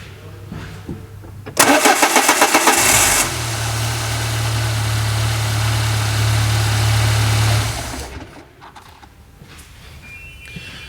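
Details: 2000 Peugeot Partner brought in as a crank-no-start; after the new sensor's wires, found wired wrong from the factory, were swapped, brief starter crank catches and settles into a smooth, steady idle before shutoff: normal start and idle.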